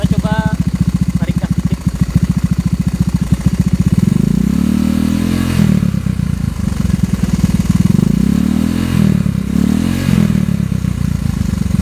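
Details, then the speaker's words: Honda Vario 110 carburettor scooter fitted with R-One standard racing exhaust: steady light ticking in time with idle, then revs rise and fall; owner says the engine currently has a tick. "cuman eh motor gua sekarang lagi ngeletek ya suaranya jadi e pasti bakal kedengaran sih suara ngeleteknya"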